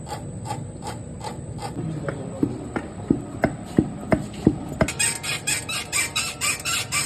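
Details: Hollow clunks at about three a second as the car body is rocked, then a quicker rattle: a loose suspension knock, with the part not identified.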